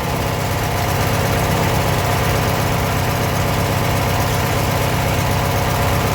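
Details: Abandoned 1996 Briggs 17hp I/C flathead opposed twin, running on its own for the first time in over ten years: steady, even low idle, no misses, knocks or hunting; normal idle.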